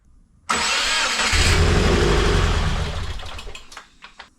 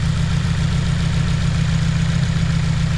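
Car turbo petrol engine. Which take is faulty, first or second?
first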